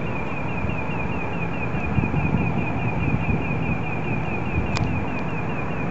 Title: Obnoxious, Unknown pulsating noise